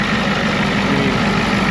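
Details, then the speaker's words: Ford F350 crew-cab bullnose dually turbo pickup with DeWeze bed: steady even idle with smooth low rumble and turbo hiss, no knocks or misses, little blow-by seen; sounds good, normal idle. "It is a turbo truck, so sounds good. Kind of fun. I mean, it really does sound good."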